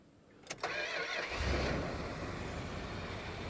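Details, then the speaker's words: All-original 13k-mile 1972 Imperial LeBaron, 440 V8 with TorqueFlite 727, engine warm: couple of clicks, short distinctive Chrysler starter whir, then V8 catches and settles to a smooth quiet idle; normal start. "There we go. Look at that. Got to love your Chrysler. No other starter sounded like that."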